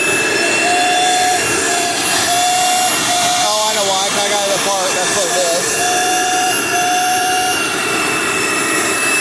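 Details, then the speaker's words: 2006 Dirt Devil Ultra Vision Turbo upright vacuum running: a loud, steady motor roar with faint whining tones, noisier than it should be; owner attributes the noise to the worn brush roll needing replacement, unconfirmed. "yeah this is definitely worth fixing that's why it's making all that noise okay but it still runs that is awesome"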